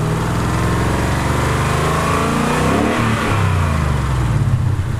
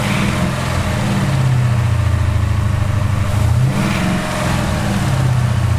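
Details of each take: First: 2018 Ford Mustang GT 5.0 V8 after the typewriter rattle fix: smooth revving and settling with no clear ticking or rattle; the noise is much improved and expected to quieten further. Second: 2018 Ford Mustang GT 5.0 V8, slightly warmed up, idling with blips: a light clattering typewriter-like rattle underneath. A Liqui Moly oil additive is the fix offered.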